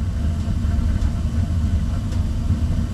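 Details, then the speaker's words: Old Rheem forced-air gas furnace after troubleshooting transformer and thermostat faults, fan not yet on: steady low burner rumble with no knocks or squeals as it fires and keeps burning. Normal burner operation. "probably well i guess it works now the fan i'll turn on here in a minute"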